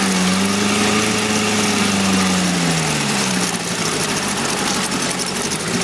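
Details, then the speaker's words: 1971 Mercury outboard (listed as 7.5, also called 72 horse) revived after coil work; cover on, smooth idle sagging briefly then recovering, being run out of fuel; healthy. "put a lot of hours into this thing trying to get it to run but now it runs like a dream"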